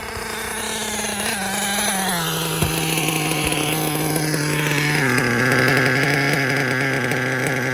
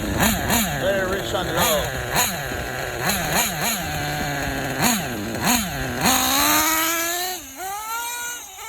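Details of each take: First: K5.9 nitro engine on an HB D8T with LRP 32 Spec 2 carb, hot plug: high buzzing tone falls into a steady, even note that holds clean under revs; runs properly now. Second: Small nitro engine with LRP 32 Spec 2 carb on a K5.9 sealed backplate idling unevenly, buzz surging up and down; low-end mixture too rich, wants more fuel on top.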